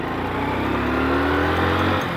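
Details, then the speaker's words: Motorcycle that stalls when slowed in too high a gear: after slowing to about 10 and downshifting two gears, the engine note climbs smoothly with no stumble or dying, picking up cleanly. "Same pickup से उठती है भाई बहुत त बड़े तरीके से"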